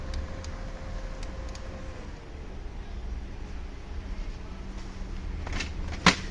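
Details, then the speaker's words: Brother DCP-L2541DW laser printer after removing worn duplex tray gears: quiet even hum with a few light clicks, no gear grinding; noise gone, running smoothly. "ये देखिए गियर की बिल्कुल आवाज़ नहीं आ रही। अब स्मूथ चल रहा है हमारा प्रिंटर।"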